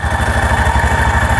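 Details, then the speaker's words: 2017 Cub Cadet Challenger 500 UTV after all clutches were replaced, clutch held still with a glove at idle: steady low idle thump with a faint, even scraping hiss, as the clutch shoe lightly drags on its drum. "Hold it in place. You can hear it rubbing on that clutch drum."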